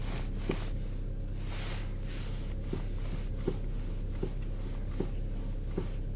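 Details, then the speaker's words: Skoda Rapid 1.6 petrol, almost 28,000 km, cold morning in sub-zero temperature: faint dull knocks about every three-quarters second over a low hum while turning the steering wheel; knock fades or disappears once warmed after a few kilometres, cause unclear. "Утром на холодную машину появился стук при вращении руля."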